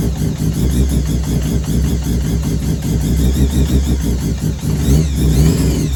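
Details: Mazda 323 with bridgeport 13B turbo rotary, just started after ECU replacement and fuel rail leak fix: lumpy uneven idle, choppy low burble, occasional blips, very smoky; owner suspects overfuelling, will lower mix trim; rough rich running.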